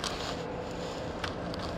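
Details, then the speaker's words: Renault Samsung SM5 Platinum, 90,000 km, on a road test while slowing: only a steady, even tyre and road rumble with no squeal, grinding or judder from the drum brakes; normal braking, no brake noise. "드럼도 뭐 끼 소리 나거나 떨리는 거 없네요."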